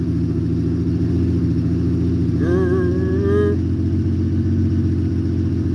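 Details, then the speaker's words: Carbureted six-cylinder Honda motorcycle started cold after weeks unused, with its float bowls refilling. A steady, even low idle, whisper quiet, smoothing out as the carbs fill. It runs cleanly with no misses or knocks. "You'll hear it run, but it's not very loud. So yeah, we'll make this thing run. I haven't fired it up in weeks, month. So she may take a minute to get lit up. Up, raising an RPM. She's filling her float bowls."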